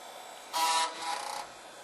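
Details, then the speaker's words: Old Gateway desktop PC at power-on, hard drive hanging outside the case: two quick buzzy floppy drive seek rasps over faint power supply fan hum; normal, seeks faster than on the previous drive. "that's the floppy Drive seeking that's normal and you can see too here on the screen that everything's normal"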